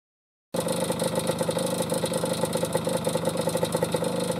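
Small two-stroke runs with a light, uneven rattling tap over the buzz, about three a second, which points to a loose piston slapping the bore.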